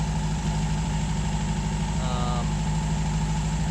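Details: 1951 MG TD back home after a hot drive, treated for vapor lock with a heat shield, cleaned carbs and ethanol-free gasoline; a steady, even low idle with no misses, stumbles or sputtering. Normal warm idle.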